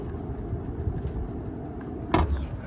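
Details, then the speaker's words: Daikin VRV 5 heat pump outdoor unit with an E7 fault, after a reset: the fan motor gives a rough, uneven low rumble with lumpy surges and visible movement, and its back fell off; failing fan motor. "and the fan motor sound like absolute garbage and you kind of see a lot of movement here"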